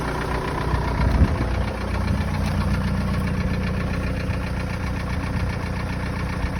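Hot diesel idles with a hard, regular knock on every combustion beat that stays even and loud throughout; source undetermined.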